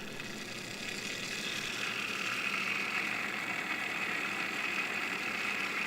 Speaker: Your water pump should not sound like that. What we found out is with the top cap on this, it was creating back pressure. So the pump wasn't able to flow freely.